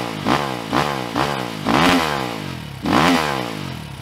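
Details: 2022 SSR Motorsports SR300 (SR330) single-cylinder dirt bike with FCR carburetor, fuel screw freshly adjusted, not yet fully warm: crisp blips climb cleanly and drop back to a steady thump with no stumble or hesitation; carburetion properly sorted, normal idle and revs.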